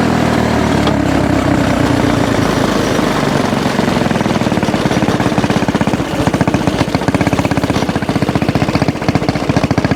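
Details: Axis/Coleman M200 mini bike, 196cc single-cylinder, 22mm Mikuni VM22 carb, aftermarket exhaust, governor delete, riding at about 30 mph on the original jet: hard, fast, even bark turns ragged higher up, cutting out at mid-to-high RPM; owner considers a 120 jet.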